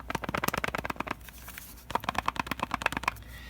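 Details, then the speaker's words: Water-damaged Nintendo Switch with no power. Shaking it produces quick bursts of light plastic rattling from the area where the battery sits, so a loose internal battery is suspected. "that's coming from right here and that's where the battery sits and the only thing big enough in here to make that sort of rattles definitely the battery so the batteries loose"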